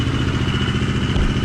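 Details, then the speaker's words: Street-legal Husqvarna four-stroke motorcycle with the idle turned down low, as it arrived: low, lumpy idle with a light rhythmic clack under the thump before it dies. The ticking is the auto-decompressor, not engine damage. "That is super concerning for a lot of people, and I completely understand why, because it sounds like bad things are happening in the motor. It's not bad things. It is the decompression."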